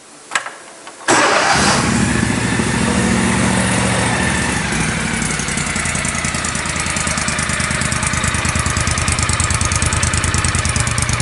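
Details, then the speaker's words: John Deere Gator 625i UTV with stock exhaust, before the auxiliary muffler: engine catches after a short crank and settles into a loud, blatting idle with a sharp exhaust note, reading about 95–100 dB against 63–64 dB ambient. "So the actual current value seems to be fluctuating between about 95, 100, sometimes drops down."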